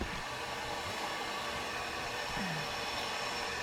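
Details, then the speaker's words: Diesel truck with smashed front and bent intercooler, boost leak test; steady loud rushing hiss with no pressure building, large hole in intercooler: boost leak from holed intercooler. "psi yeah you can hear it i was hoping that i'd be able to uh be able to pressurize it up a little bit the intercooler's got such a big hole and it won't even pressurize up"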